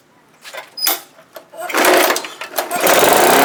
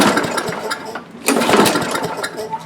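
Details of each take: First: Tecumseh-powered Craftsman lawn mower that wouldn't start or stay running, after cleaning the carburetor main jet's tiny hole with a paperclip and carb cleaner: fires after a pull or two and holds a smooth, steady run; running normally. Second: Tecumseh-powered Craftsman lawn mower that won't start or stay running: uneven, sputtering bursts of firing that surge and fade instead of settling into a steady run; dirt in the carburetor bowl and jet. Clogged carburetor main jet.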